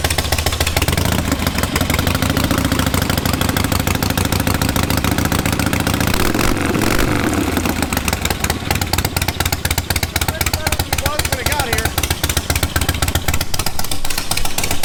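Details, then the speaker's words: Charity-build big-twin motorcycle started before dyno: catches and settles into a loose loping idle with even firing, no knocks or misses; idles now, unlike last time; normal idle. "It's actually idling. Yeah. That's crazy. It didn't do that last time."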